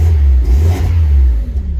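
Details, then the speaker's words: Miata after a new exhaust gasket and a replaced exhaust-bolt washer: deep, clean rev and fall with no ticking or puffing from a leak; exhaust sealed, normal exhaust note, much better than before. "but i have the new gasket in let's give it a try [Music] that actually sounds pretty good"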